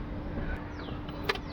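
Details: VW Polo petrol engine, crank-no-start from damaged fuel pump wiring; after wiring joint repair, low even electric pump hum with a few handling clicks as fuel arrives; pump runs normally.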